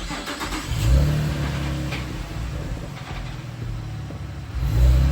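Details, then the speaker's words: V6 Camaro startup and rev before fitting a $200 eBay muffler delete, stock exhaust: engine catches, settles, revs and falls back smoothly with a deep, even, muted note; sounds completely stock and healthy. "That sounds like a completely stock V6 Camaro."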